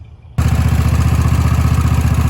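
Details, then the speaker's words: Kohler mower engine: loud, rapid, even mechanical clatter on the idle from the moment it fires. Owner blames hammering, valve slamming or pushrods, common to his Kohlers. Cause unconfirmed. "Man, them Kohlers sound like shit. I'm sorry, but every one I've had sounds like that. Unless you run them every day, but you leave them sit for a couple weeks and then you fire them up. It's nothing but hammering, valve slamming, push rods, whatever it is."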